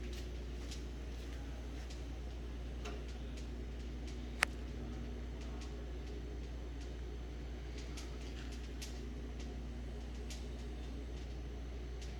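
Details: Whirlpool refrigerator: quiet running hum with faint, irregular sharp clicks about every second and one louder snap; repeated clicking whose source is not yet identified.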